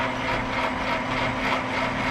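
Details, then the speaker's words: MIG welder over 10 years old, wire feed turned to full speed: a motor whir that keeps slowing then surging. The owner suspects the drive line or gearbox grease. "but every so often you can hear it slow down and also like oo it it surges a lot"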